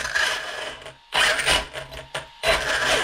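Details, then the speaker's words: Arrma Kraton 1/8 scale 6S RC truck: harsh, gritty clicking and rasping in bursts as the drivetrain spins, from a failing differential. "There's a rear, center, and a front right here, and when it's going bad it sounds something like this. Hear that clicking?"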